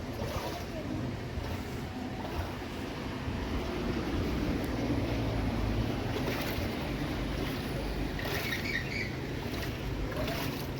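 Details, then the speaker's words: Whirlpool top-load washing machine (1-2-3 board type) after replacing worn mechanism bearing and water seal, running with water: steady sloshing and soft motor drone, no grinding; smooth operation, previously very loud on spin. "Bearing കാര്യങ്ങളൊക്കെ മാറ്റിയത് കൊണ്ട് തന്നെ നല്ല working ഒക്കെ നല്ല smooth ആണ്"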